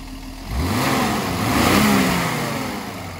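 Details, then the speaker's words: Mercedes M130 engine, mechanical fuel injection pump set 12 turns in and air screw adjusted to 750 rpm idle: even idle, then quick rev rising cleanly and falling back smoothly, no miss or stumble; injection and idle set right. "runs great"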